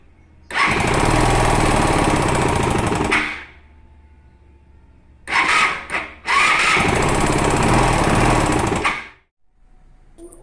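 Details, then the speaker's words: Motorcycle engine revving: harsh, rapid sewing-machine clatter in bursts; owner is sure it is not the camshaft and suspects the piston striking the cylinder head, not confirmed. "certo que não é o comando é apenas o pistão batendo no cabeçote"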